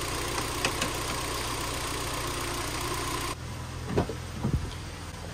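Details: 2011 Hyundai Tucson idling with Max A/C on after repairing a compressor clutch that wouldn't engage and charging refrigerant. Steady, even idle with smooth fan rush, no knocks or squeal; the air feels nice and cold.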